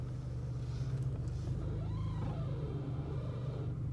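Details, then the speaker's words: 2001 Chrysler PT Cruiser, engine idling: drawn-out steering squeak rising and falling while turning the wheel, mostly turning left, not so much right, started about a week ago; possibly from underneath, source not yet found. "Not so much when I go right, but when I go left. Hear that, everyone? That's the noise that I want to try and fix."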